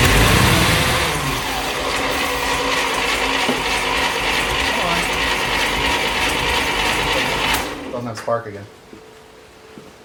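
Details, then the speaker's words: 1941 Plymouth Special Deluxe flathead barn find, first run in 50 years after freeing stuck valves: busy, even mechanical clatter at a steady fast idle, about three beats a second, oil pressure on gauge, then shuts off; running normally. "yep let's go blammo working there we got oil pressure on the gauge we're well on our way hell yeah that is awesome very awesome"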